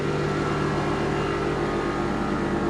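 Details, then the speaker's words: Airlift Performance air suspension on a Toyota GR Supra (A90) during install, car running on a hot, humid day, compressor powered from an accessory tap and charging to check for leaks before the manifold lines are connected: steady, even electric hum. Compressor running normally. "charging up. Yes, we have power. We're gonna charge up to see if there's any leaks."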